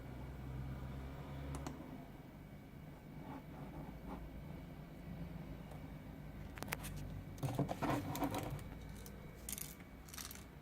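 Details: Microlab T1 speaker, second pair with the same defect: irregular light clicks and jingles when the unit moves, like a small loose piece rattling inside the cabinet; loose internal part.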